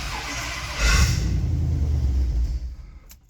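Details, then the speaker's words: Ford 351 Windsor V8 catering truck, 5W20 oil, electrical issue with the neutral: brief cranking, rough stumbling catch that sputters and dies within two seconds, strong smell; weak firing, ignition suspected. "Not great. Yeah, so I think I'm done doing that before I destroy the thing. So I think we need to get a look at our ignition because it seems very much so related to that, and it's weak, and when it does kind of fire, it now reeks in this garage."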